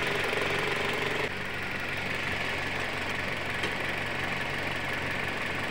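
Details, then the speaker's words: Toyota Altis with complaint of stumbling on bumpy roads and flashing check engine light, idling in workshop: steady idle with light even tick, no stumble; problem later suspected as loose battery terminals. "Karena tadi kita tes di jalan, untuk saat ini kita tes kondisi normal, tidak ada ya mesinnya yang nyendat-nyendat atau ginjal atau lampu cek engine yang nyala, itu tidak kita temukan tadi pada saat jalan."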